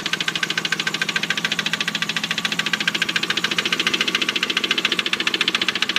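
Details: 1998 Mitsubishi 3000GT SL at idle; fast even metallic ticking knock about three to four beats a second over the engine hum: engine knock.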